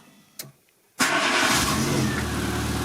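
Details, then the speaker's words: Renault Twingo with a no-start fault (owner suspected ignition; new coil, plug wires and plugs ordered), started after resetting the inertia fuel-cut switch ball; starter catches within a second, settles into smooth even idle; normal start. "donc là on va voir si ça démarre et tu vas voir ce qui va se passer donc là on démarre"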